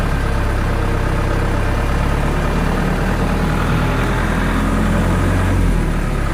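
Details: Diesel genset with a hard-starting problem and battery down to about 11.8 V, started after adjustment: a deep, even rumble holding steady speed with no misses or knocks; a normal, clean idle.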